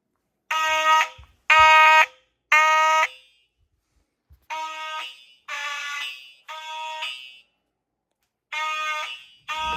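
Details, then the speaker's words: Simplex fire alarm system test: buzzy horn blasts about once a second, then a quieter, thinner series; horn weak, starved by too many devices on the notification circuit. "My horn sounds like it's freaking dying. Yeah. It doesn't sound like that if you don't have a bunch of devices."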